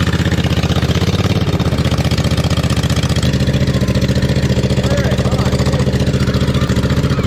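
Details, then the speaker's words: 2007 John Deere Z425 zero-turn mower after replacing the old motor with a new Briggs & Stratton 44S977-0032-G1, fresh oil, first run with the muffler off; loud, raw, steady popping at a fast even beat, running smoothly. "it's gonna be a little loud too because the muffler's not on yet"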